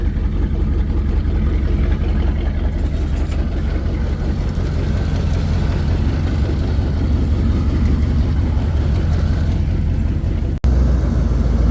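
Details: Chevy 350 V8 square body 4x4, running after a quick fuel line replacement fixed fuel squirting and a no-start: deep, steady idle rumble with even beat, no misses, knocks or surging; normal idle.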